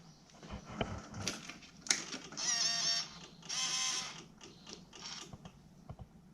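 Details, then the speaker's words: Yamaha V-Max, carburettors just refitted, tank drained of kerosene and about a litre of gasoline added, key-on: two half-second bursts of fast high ticking buzz as the fuel pump fills the float bowls and stops; normal priming, no leak. "so now let's turn on the ignition and let the fuel pump through the system and we'll see if we've got a leak"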